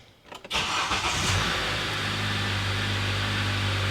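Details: Water-damaged car being rebuilt, started after its SRS module was replaced and the SRS/ABS codes were cleared: a brief crank catches within half a second and settles to a smooth, steady idle with an even low hum; sounds healthy.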